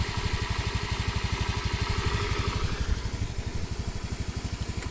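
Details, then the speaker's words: Honda Scoopy repaired after a broken piston caused by excessive compression from a non-standard Vario carb 110 piston, test-ridden about 10 km. Steady, even idle thump with no ticks or rattles, stable whether cold or hot; normal idle. "unit ini sudah saya coba kurang lebih 10 kilo mesin suara tetap stabil tidak ada perubahan suara dalam arti dingin halus panas kasar ini tetap stabil suaranya tetap stabil tidak ada perubahan"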